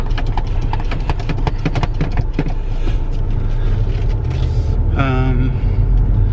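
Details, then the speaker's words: High-mileage Volkswagen TDI with automatic DSG transmission, driving slowly on a hot day: low rumble of tyres and drivetrain with no scraping, knocking or rattling; the ride is smooth and normal at low speed. "Yep, ride smooth. I don't hear anything weird. I mean, obviously we're not driving very fast, but"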